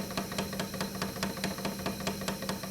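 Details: 1940s Peirce Model 55B wire recorder in rewind; sharp, evenly spaced clicks about four or five a second over a faint motor hum, a rhythmic knock from the drive; hardened rubber wheels with flat spots suspected.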